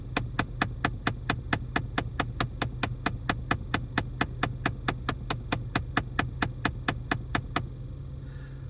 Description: We had a clicking sound from under the dash of the 2013 Chrysler 200. One of the actuator motors that works with the vent/ac system had an issue.